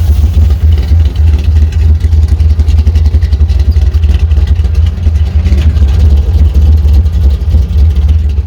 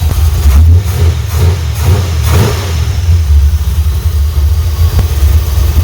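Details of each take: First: Chevrolet C10 with carbureted V8 after last-minute repairs, running a few minutes to purge air from cooling system: deep, even idle with regular lope, no misses or stumbles. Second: Chevrolet C10 V8 with oily intake and oil and water leaks: revs in uneven blips, slow to pick up on each throttle stab after fitting an old accelerator pump diaphragm; weak accelerator pump suspected.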